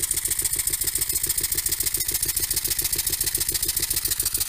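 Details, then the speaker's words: Finished Stuart double-acting model steam engine running on air: steady quick chuffing three to four beats a second with a light rod knock on each stroke. "well the engine is finished together running runs reasonably well as you can probably hear it has a little bit of a rod knock"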